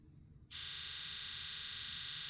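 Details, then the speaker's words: 7.3 Powerstroke diesel Ford with 412k miles and pressure out of range low code: key-on engine-off injector buzz test gives a sharp, steady buzz, all eight injectors counted and good; owner suspects the ICP sensor. "That's all of them. Then 1 2 3 4 5 6 7 8. So we counted eight. So they're all good. And you can kind of hear them moving around."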